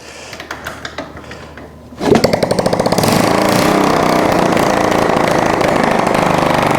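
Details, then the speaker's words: Honda ST70 after top-end rebuild and new carburetor, first start in years with no exhaust fitted: quiet kicks, then fires and settles into a fast, even, sharp open-pipe crackle about four beats a second; runs clean. "I don't want to run it too long. I gotta I don't even have an exhaust on there. But guys, way to go. Guys, this little ST70 is a runner."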